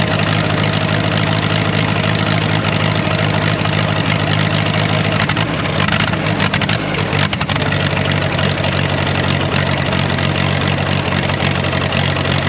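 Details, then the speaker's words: Ditch Witch R40, Wisconsin V4 engine, after converting points to Hot Spark electronic ignition with a new switch: steady, even idle with a brief dip as the distributor is moved to set timing without a timing light; running cleanly. "well no timing light for now I know I'll get ripped on but well I'd say it sounds pretty good you can hear me moving it back and forth"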